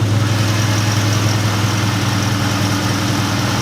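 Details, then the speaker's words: SVT Terminator Mustang Cobra at idle: a faint constant whir from the belt drive over a steady idle that persisted after replacing the OEM tensioner with a Motorcraft one. "so today i'm going to show you the sound that my cobra is making and then we're going to replace the oem tensioner with an oem motorcraft and cross our fingers hope the issue goes"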